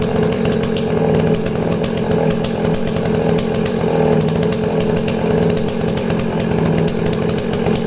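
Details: Danarm 36 "hot rod" chainsaw with stainless steel exhaust, cutting wood: high steady scream without stumbles or dropouts; intermittent off-load misfire disappears under load, runs clean.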